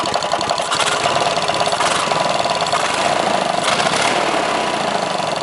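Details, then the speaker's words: 18hp opposed twin engine, leaking at bottom: rapid steady deep knock over the running that does not grow with rpm, seeming to come from rear of block; owner suspects rod knock or top-end bearing, cause unconfirmed. "basically because from what i can tell it has rod knock"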